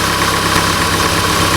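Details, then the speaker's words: 2008 Honda CR-V 2.2 i-CTDi diesel at idle after the alternator freewheel clutch pulley was replaced: smooth, even, steady hum with the earlier high-pitched scream gone; normal idle. "now that the noise disappeared new turning good and everything's"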